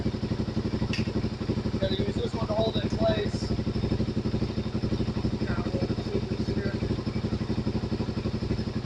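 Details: Suzuki DR-Z400 with about 40k miles, idling after manual cam chain tensioner adjusted until chain noise stopped then backed off slightly; even, steady single-cylinder idle with regular firing pulses, no chain rattle or ticking: normal idle.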